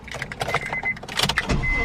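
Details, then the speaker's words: Acura RSX (DC5) after starter replacement, with the intake manifold removed and refitted, after three weeks of not starting: short uneven crank of about a second, then it catches and holds a steady idle; clean normal start, starter confirmed as the fault. "oh yes yes it's been three weeks it's been three freaking weeks so the starter was the issue which is good"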